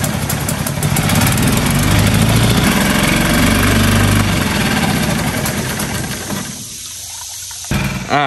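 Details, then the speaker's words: New Hangkai 6.5 hp four-stroke outboard in water barrel test: spins fast and busy where it should idle, then drops and stops; idle speed screw pushed far too far in, backing it out fixed it. "another thing is how high it was revving up and this idle speed was was pushed way way way too far in"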